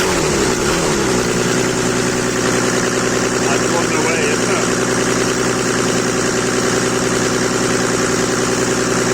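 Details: Mercedes W124 with OM606 diesel swap: engine stays at a high steady rev with an even drone and never drops back toward idle; hanging at high revs or possibly running away, cause unknown.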